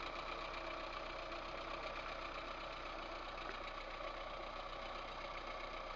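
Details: VAZ 2108 1.3 L engine at rough idle, irregular light knock about four per second; head removal showed two valves with large play in worn valve guides, valves themselves showing no felt wear.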